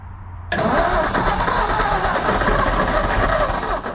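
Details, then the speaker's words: 1954 Ford F250 truck saved from the crusher, already converted to 12-volt negative ground, first start attempt: steady fast cranking for about four seconds with faint hints of firing, never catches. Cranks but does not start. "sounded like it wanted to run."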